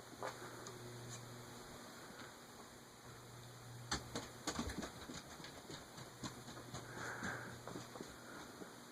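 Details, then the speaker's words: Antique Emerson 6-blade 30-inch Fernleaf/Longnose ceiling fan on a capacitor-based control set to 2, ammeter in circuit: steady low electrical hum but blades don't turn; motor energised but stalled, stiff to start, cause suspected, not confirmed. "Oh, and I gotta turn power on. I hear it humming, but it's not moving."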